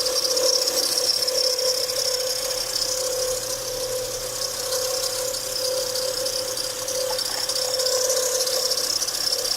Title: Bad tensioner bearing Acura TL 07 Type S